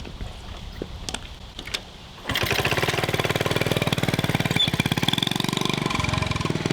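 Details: Honda CT70, sitting for years, with the rotted exhaust replaced by a makeshift cut-down slip-on pipe: starts cleanly, then a loud popping idle at nearly four beats a second; the pipe barely quiets it, and a new pipe is planned.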